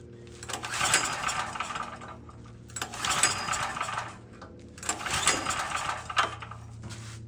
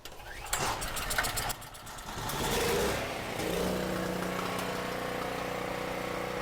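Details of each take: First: Cheap generator with 38 hours, bought as a non-runner. Three recoil pulls about two seconds apart, each a rattly whirr that never catches. It cranks but won't fire; the cause proved to be corroded contacts on the on-off switch, which were cleaned. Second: Cheap non-running generator with about 38 hours, running after throttle linkage hooked up: cranks with rough bursts, catches, then settles into a steady even drone with stable low hum; runs normally.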